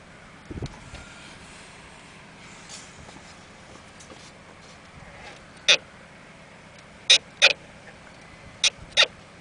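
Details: Volvo S60/V70 (P2 platform, 2001–2009) while the steering wheel is turned: sharp irregular clicks, clunks and pops, heard inside and outside the car. Worn front strut top bearing clunk when steering.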